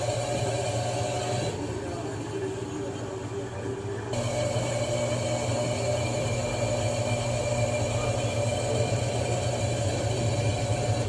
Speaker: Vocês viram, né, que na centrifugação ela estava fazendo muito barulho. Aqui é uma LTC 10 kg. E o problema, vou mostrar para vocês, está aqui nessa peça. Essa aqui é a bomba bomba de dreno.